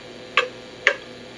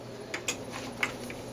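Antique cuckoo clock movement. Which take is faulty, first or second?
first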